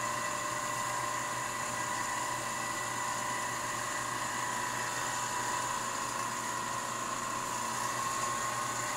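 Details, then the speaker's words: Rebuilt, water-cooled Leybold Turbovac 150 turbomolecular pump on a sputtering chamber, starting at about 5 Pa: steady high whine with fine tones climbing smoothly as the rotor spins up; normal spin-up. "oh you can hear it spinning up wo wo wo look look look see it was at 5 now it's at 1 perfect you can hear the whining here"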